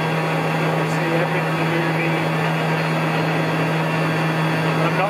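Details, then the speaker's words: Cheap 300–800W spindle motor at about 10,000 rpm before balancing its plastic cooling fan: steady low hum with heavy rough buzz, strong vibration from the unbalanced fan. "but you can hear there it was it was really really bad"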